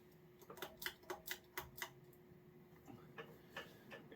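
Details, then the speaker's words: Circa 1986–87 52-inch Gulf Coast Dixie Belle ceiling fan, PSC motor with coil-tap speeds, around 190 RPM, 12-degree blade pitch, 16-inch downrod; soft rhythmic ticking about twice a second over motor hum, wobble from warped blades. "It's already throwing a good breeze. The blades are kind of warped, so that's why the fan wobbles."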